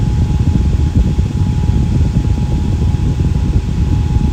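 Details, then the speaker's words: Fan with Lakewood blade set, run at full power; not oiled after reassembly. Smooth low whooshing air rush with a faint steady tone, no squeal or rattle; normal running. "so it seems to be doing okay for now I mean people start squealing then yeah I gotta put it apart and give it oil but it seems to be okay for now"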